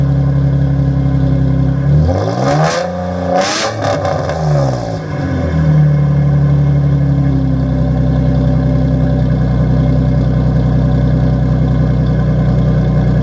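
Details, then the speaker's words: Nissan 350Z first startup with cheap used aftermarket exhaust, damaged tips: two quick blips then deep steady droning idle, running evenly but too loud and boomy for owner's liking; normal idle with loud aftermarket exhaust. "I don't think it sounds better, so I think I'm going to be looking for new exhaust. Tips are screwed up. It sounds too loud for my liking"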